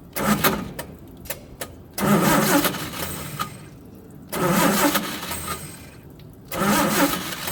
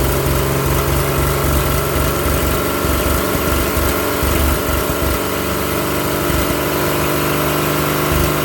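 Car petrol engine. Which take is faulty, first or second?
first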